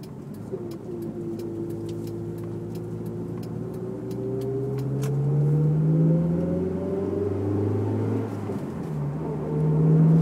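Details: Honda S2000 under throttle: clear tone climbing in pitch, present only with foot on the gas; drivetrain whine, owner unsure whether diff or transmission.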